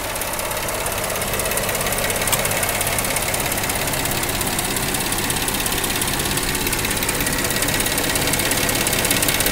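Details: 2010 Jeep Wrangler engine at idle with an abnormal noise: a quick, slightly uneven tapping about three times a second over the steady idle; source unclear.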